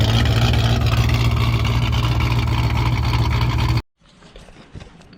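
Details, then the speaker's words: Engine start-up after a new TSP blower cam swap: deep, loping, choppy exhaust idle at about three and a half pulses a second, strong and clean, running well. "Yeah, that sounded freaking crazy. I ain't gonna lie, I did not expect it to be like that. Some of you might say it sounds the same, but I can definitely tell a difference."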